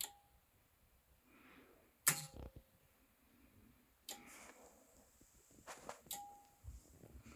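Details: Anker Solix C1000 power station in UPS mode, firmware v1.5.4, fully charged with routers and a charging cable plugged in (also occurs at other charge levels): sharp relay click about every two seconds with a faint tone; owner suspects it repeatedly starts and stops AC charging.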